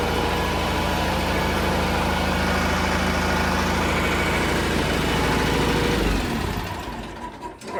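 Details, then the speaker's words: 1980 John Deere 400 tractor, refurbished from non-running, with the original carb redone and a new air filter; only initial timing set so far. A steady, even thrum with no knocks or misses, holding speed cleanly before shutdown. It runs out well. "Runs out real well. I haven't set that timing yet, just got the initial."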